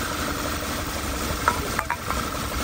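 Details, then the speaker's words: VW 2.0 TSI turbo (Tiguan), P2187 code; idle before brake cleaner is sprayed at the rear main seal through the torque converter check window, where it then runs a little better, confirming a failed rear main seal; lumpy idle with stumbles, crankcase vacuum leak. "and now it runs like again great my rear main seal is gone"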